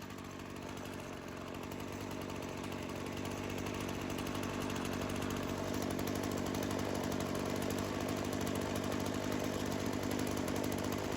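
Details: Craftsman chainsaw that sat for years, started after checking the primer bulb and choke: steady even two-stroke idle with smooth buzzing beat, no hunting or stumbling, chain not moving; normal idle, no seal or gasket leak indicated.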